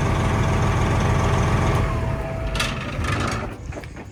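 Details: 389 diesel after switching to AMSOIL, run in neutral for about a minute following inspection: even, steady idle with a regular low chug, no knocks or misses, then quietens. Normal idle.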